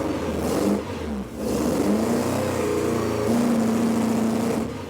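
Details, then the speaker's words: Ford ST170-engined Mk1 Escort four-cylinder after fitting the VVT pulley: lumpy, uneven beat that stumbles and wavers, still misfiring; later traced to two crossed HT plug leads leaving two cylinders dead. "well that's disappointing I really thought that the VVT pulley itself was the last thing that could be causing the issue"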